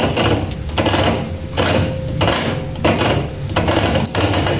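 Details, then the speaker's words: Kuba Valentino 50cc scooter engine running, losing top speed (now 50-60 km/h instead of 70-80): rhythmic gritty grinding bursts about 1.5 a second from inside the engine, traced to loose stator screws. "motorumuz mekaniğinin içerisinden çok farklı sesler geliyor o sesleri size dinletmek istiyorum"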